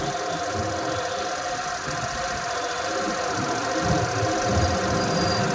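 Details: Suzuki Access 125 BS6 scooter after replacing the aluminium idle-adjust body and setting idle, started without throttle: soft, even idle pulsing about three times a second, no shaking or surging; steady and low.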